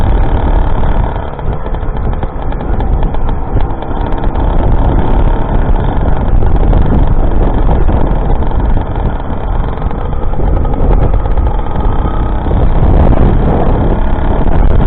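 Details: YD100 two-stroke bike engine on E85/C85, rebuilt after piston blew near 13,000 rpm, re-bored to 51mm piston with copper gasket, first ride: steady buzz under load swelling and easing with throttle, no knock or misfire; runs healthy.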